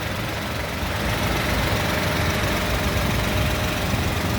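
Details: 2016 Toyota Agya G manual, about 98,466 km, engine bay shown dry: an even, steady idle with a soft constant hum and no knocks or misses. The engine runs smoothly and idles normally.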